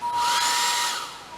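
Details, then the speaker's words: Hair dryer on RV inverter (battery 13 V at zero load): whoosh with thin whistle, then roar sags and fades after a second as if supply is dropping out; battery cell ruled out, owner concludes inverter failing on large surges, expects OLP error. "plugged in my haird dryer here let's turn it on no doing the same"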